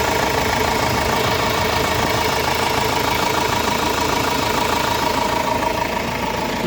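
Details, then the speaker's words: Renault Master diesel with gear-and-timing-belt driven engine, after timing belt refitted: even diesel clatter at about 200 beats per minute, no knocks or rattles; normal smooth idle. "Yani evet motorumuz Hacı Bekir lokumu gibi çalışıyor arkadaşlar"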